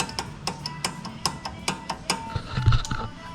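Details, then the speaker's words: Integra brakes: irregular sharp light metallic clicks about once a second, rapid clicking during braking, from a loose pad shim rattling in the caliper after reassembly; braking unaffected, shim to be replaced. "so let me show you what that noise is doing how that shim is actually loose in there whatever that's called"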